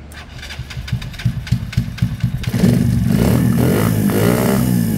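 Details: KSR GRS 125 carburettor problems: ragged uneven firing about four times a second as it catches, then a wavering rev that won't settle; poor running, carburettor slide diaphragm suspected but not confirmed.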